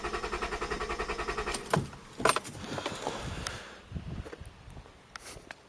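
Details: Acura CL engine cranked about 5 seconds again for a repeat compression reading, fuses removed and gauge fitted, first reading about 210: steady rhythmic cranking with even beats, then stops; compression sounds even; normal cranking.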